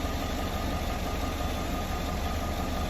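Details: 2018 Chevrolet Silverado 5.3 L, started the next morning after a water pump and new belt replacement, checked for leaks. Smooth, steady low idle with an even beat and no ticking, knocking or squeal; the engine is running fine.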